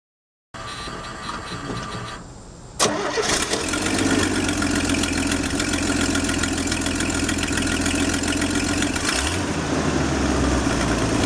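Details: 1968 Chevy II Nova 230 six-cylinder cranks, fires and idles with sharp raspy puffing tick from a blown exhaust gasket, before the gasket was replaced.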